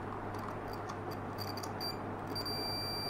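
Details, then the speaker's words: Panasonic 42-inch plasma TV, dead with no standby light, power board fuses tested with multimeter in continuity mode: short clean high beeps over a low hum; continuity beep, fuses intact. "still good you see still two fuses is good and yep so the fuses are good"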